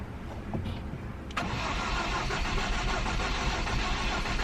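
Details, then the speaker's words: Ford Focus non-runner, first try after reassembly on jump box: steady cranking with a faint sputter, almost catches but never runs; cause suspected, not confirmed. "so it tried it almost turned over um it's a lot better than just the flat what we had before where it was just cranking and nothing it almost like sputtered and wanted to but it didn't grab"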